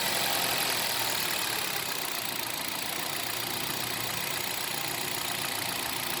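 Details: Hyundai Solaris 1.6 126 hp, automatic, 60,000 km, at idle after oil and filter change with 5W-40: busy fairly regular light tapping, three to four per second, over steady idle; engine knock, cause unclear.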